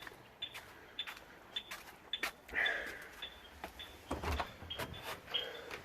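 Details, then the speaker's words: Yale wireless alarm with an added fishing-line trip-wire sensor, tripped on gate entry: short high chirps about every 0.6 seconds among door clicks as the alarm counts down its timed entry delay before the siren. "walks in and there you can hear the chirping scary enough that's the timed entry"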